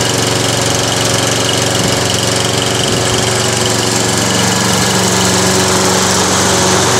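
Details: Toro Recycler lawn mower during an Automatic Drive System conversion: small single-cylinder engine holds a steady fast beat at constant speed with no stumbling; owner notes the primer bulb needs redoing and the recoil starter is a bit noisy; normal running.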